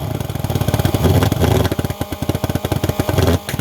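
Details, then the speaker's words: Vectorfog H100SF pulse-jet thermal fogger started by holding the start button 8–10 seconds; a couple of uneven pops and snaps, then loud, rapid, steady popping at one speed. Normal pulse jet running. "you gotta hold the start button for about you know eight to ten seconds you'll hear it fire off it might pop and snap a couple times once it's running you'll know it"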